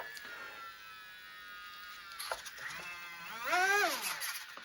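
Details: Volantex Spitfire 3-channel RTF foam RC plane, twin wing-mounted electric motors with differential thrust, armed and throttled on the ground: thin electric whine rising and falling with throttle, smooth spool-up, no rattle or grind; normal motor operation.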